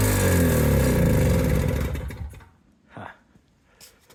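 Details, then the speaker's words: Old Toro CCR200E two-stroke snowblower after new fuel lines and carb, choke out: fires and runs fast and even for two seconds, then sags and dies; owner suspects the carburetor bowl is not yet full of fuel. "okay might just need to get a little more fuel into that carburetor"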